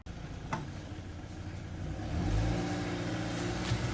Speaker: that sounds a lot nicer now and we've got a couple of bulbs out up there notice that she's on the mend and that's the main thing